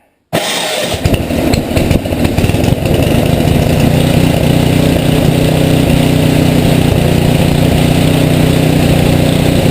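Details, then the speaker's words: Rebuilt Tecumseh HM80 on a Craftsman 826 tracked snow thrower, first start with fresh gas and oil, electric start, choke and primer; starts at once, fast even buzz at high fast throttle, no surging or knocking. "Alright, what I did there down below here was with it on high fast throttle"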